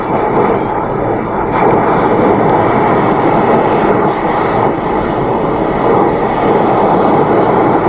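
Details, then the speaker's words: 2014 Mercedes Vito W639 taxi, ultrasonic leak detector held at the rear air-conditioning pipes to the rear evaporator: loud, steady rushing hiss indicating a big refrigerant leak in one of those pipes. "i think you get the idea there's a big leak i can't hear it visibly on my own but uh one of those pipes there is leaking"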